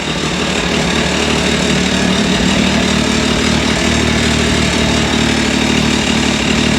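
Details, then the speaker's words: 2023 Can-Am Maverick X3 DS Turbo just after an oil change: loud, steady, even idle with no knock or rattle; sounds good, normal idle, though a rattle was noticed afterward. "all right there she goes she sounds good"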